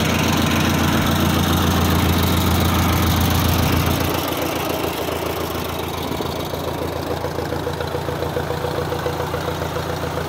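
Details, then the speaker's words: 1959 Ford 600-series Workmaster tractor at startup, settling into an even, steady thump of about 214 beats a minute with no misses or knocks: a normal, healthy idle. "but it runs uh runs pretty nice i'll start it up for you stacy runs like attack lights ought to be nice and bright"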